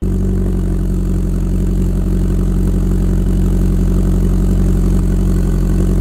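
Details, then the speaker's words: Very loud, deep, steady rumble at idle with heavy low-end drone, like a race car muffler; likely exhaust leaking out before the muffler, not confirmed; loud engine exhaust. "so the next sound is where your engine just sounds way too loud it's like you have a race car muffler on it's just a really loud engine noise that's going to be an issue with your exhaust system"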